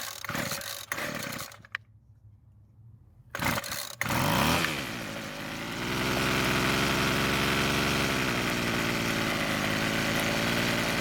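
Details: Rebuilt Weed Eater two-stroke trimmer, after turning the L screw a quarter turn counterclockwise for more idle fuel; catches after a few pulls, revs briefly, then holds a steady buzzing idle without dying; fix worked.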